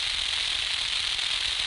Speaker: this is the bearing that's dry okay listen to the choppy sound in you're going to hear it it's going to sound like propane propane plastic potato chips sack cellophane is what I'm trying to think of crackling